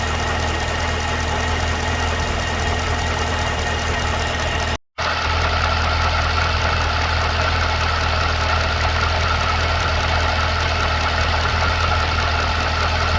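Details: 2012 Cadillac CTS-V at idle: a steady idle with a light, fairly regular tick riding over the exhaust note; ticking/knocking at idle, source not pinned down.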